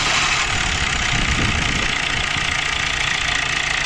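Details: Maruti Dzire engine starting after timing chain replacement, which was done for loud chain noise: catches and settles into an even, smooth idle with no rattle or slapping from the front; chain now quiet.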